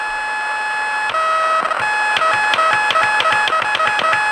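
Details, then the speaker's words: Lightning-damaged NuTone IMA3303 intercom on the radio, AM and FM, and door talk: shrill warbling chirps about three per second, pitch differing between AM and FM; damaged main-board chips suspected of making it oscillate. "i'm fairly certain it's a distress call from the andromeda system"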